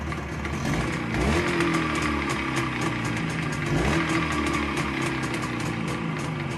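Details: ChZ 472.6 two-stroke engine with crankshaft fine, cylinder +0.11 mm: light, uneven ticking knock two or three per second over buzzy running, cold or hot, neutral or in gear; owner suspects gearbox, source unknown.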